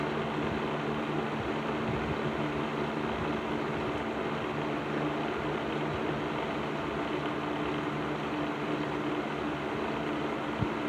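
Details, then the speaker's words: Patton 12-inch box fan, later model with black Patton-branded Fasco motor, after servicing, on low speed in a window: even steady hum and low motor drone, no grinding or squeal; remaining rattle less than before, normal running. "So yeah, I think this fan is right where it needs to be now."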